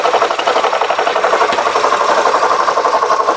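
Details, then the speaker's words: 2009 Honda Civic with grinding noise under hood, microphone probed on A/C compressor: rough gritty churning pulsing about three times a second, gone when probing elsewhere; A/C compressor failed internally. "so yeah so there's a noise coming from the ac compressor alright guys so there it is so as far as the noise goes obviously the ac compressor is bad something inside has basically failed"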